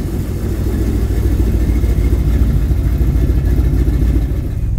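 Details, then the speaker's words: 383 V8 (430 hp) square-body Chevrolet C10 with newly installed fuel injection, hard to start warm, parameters being dialed in manually: big lumpy, uneven, wandering idle; unstable running from poorly tuned fuel injection. "i wasn't totally satisfied with the way the engine ran and it had a really hard time starting warm as well so i decided to come back and try to get some more parameters dialed in manually"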